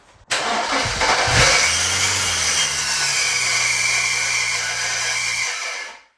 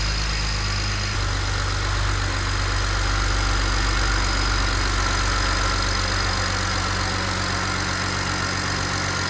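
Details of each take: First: BMW E91 335i with a newly fitted replacement N54 engine and coils disconnected, cranking without firing to build oil and fuel pressure; a harsh five-second metallic grind as the starter pinion sticks in the flywheel; the starter was later spaced out with two washers. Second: BMW E91 335i start after fitting a replacement N54 engine and servicing the ZF automatic gearbox: starter whirrs briefly, then a smooth, even idle with steady low hum and no knocks or ticks; healthy normal idle.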